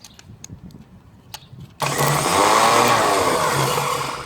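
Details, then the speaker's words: 1937 Willys flathead generator engine that sat for 15–25 years, first crank attempt. The starter motor spins to a free, high whir with no cranking beat because a slightly stuck Bendix drive won't pop out to engage the flywheel. "but the Bendix ain't popping out. So I'm gonna take this starter off, see what's going on with the Bendix."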